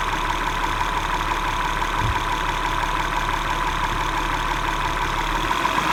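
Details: 2011 Acura MDX idling V6 with a light, fairly irregular tick-knock, about three per second, over a steady hum: engine knocking and ticking sound.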